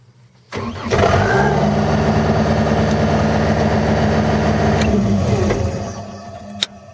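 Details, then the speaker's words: Skid steer started by lock-picking the ignition: starter whirs briefly, diesel catches at once and settles into a steady even idle before shut-off; normal start. "If I twist it just a little bit over, and I'll just show you now, it'll start it."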